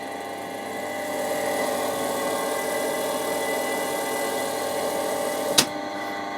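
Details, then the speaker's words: Bridgeport Series 1 2J2 2HP mill powered through a single-to-three-phase rotary converter, contactors clicking in, table power feed engaged and feed speed increased: steady, even motor hum with constant gear whine and one sharp click near the end. Power feed runs normally. "And we turn her on. You hear the contactors click in, and then we've got power to all things, so we can put our power feed on. And there you go. And then you can increase the feed speed."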